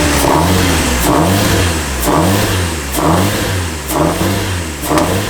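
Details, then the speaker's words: Turbo Nissan S14, injectors unplugged: lumpy idle surging and sagging about once a second, never settling; still running on raw fuel and oil flooding the intake. "I don't know how it's running because the injectors are unplugged, but all right. There's that much fuel in the damn engine."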